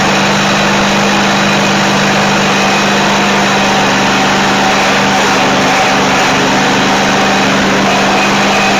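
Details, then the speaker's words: Dixon zero-turn friction-drive mower after new transaxle cones, deck bearings and belts, brake released after starting: small engine runs steady with an even hum and constant pitch, no knocks or misses; throttle response good, but the cones don't turn. Normal running. "And I'll uh release the brake after it starts, and you'll see that uh you know, the uh the throttle response is real good, but still the the cups don't turn."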